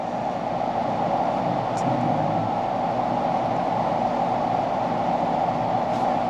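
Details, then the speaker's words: 2017 5-ton split-system AC condenser for the downstairs floor, not cooling: steady, even humming buzz with no spin-up as the compressor tries to start. Tech calls it the "death buzz". "So I think we got the old death buzz. Probably gonna be on this one right here."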